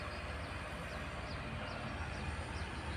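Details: Indoor AC unit after its noisy original fan motor was replaced with a used one: steady even whoosh of air with a light periodic chirp, no rubbing or rattle; fan running smoothly.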